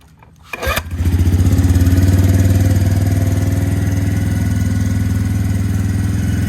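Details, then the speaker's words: 2017 Suzuki QuadSport Z90 90cc four-stroke ATV, before carb cleaning: brief cranking, catches into low lumpy idle around four beats a second; hard starting, plug fouled black, running rich, suspected something stuck open or bent in carburetor. "lug was completely black so it fouled it and um basically just is Rich and either something stuck open in the carburetor or something's bent"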